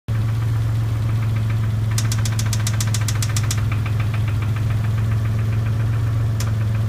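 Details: Dodge Stealth engine idling: quick regular metallic ticking about 8/s plus a knock, heard with crank noise, smoking and very high oil pressure; suspected bent-valve tick and engine knock, unconfirmed.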